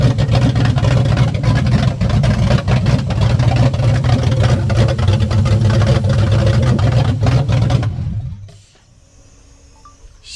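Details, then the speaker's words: Ford Coyote V8 swapped into a Fox-body Mustang, first start with fuel pressure running too high: steady, deep V8 rumble, even with no knocks or misses for eight seconds, then cuts off; running normally. "is alive. She's alive. All right, Brian, what do you think? It's awesome. I mean, It's awesome. dude, it's running."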